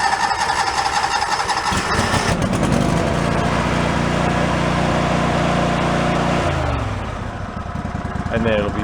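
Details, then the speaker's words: Yard-sale John Deere mower small engine that floods with fuel and stalls: cranks, catches, runs rough and uneven at full throttle until it clears raw fuel out; flooded carburetor. "u know it got flooded out and killed itself so let's see if we can go fire it back up"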